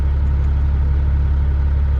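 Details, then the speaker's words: Owner-operator truck diesel at idle during vibration troubleshooting: steady deep idle with heavy low throb; shake comes and goes every few seconds, smooth then back in; attempted fix did not solve it. "I think that's interesting. So we didn't solve the problem. It's still there."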